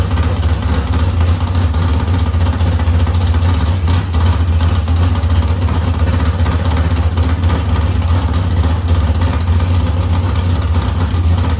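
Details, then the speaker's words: Chevy S10 bracket drag truck, first start after sitting almost two years, transmission and driveline reinstalled, oil and water filled: deep loud lumpy cammed V8 idle, steady heavy rumble with even beat; runs really good just like it did, normal idle. "we got it back to a running state we put the transmission in put the drive line in got the engine running it runs really good just like it did"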